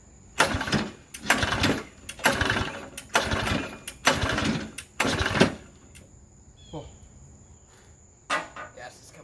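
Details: Briggs and Stratton engine for an airplane project, bungee-corded to a chair, primed and pull-started after adding a scrap-aluminium oil flicker in the crankcase: about five short bursts a second apart, each catching briefly then dying; fires but won't keep running.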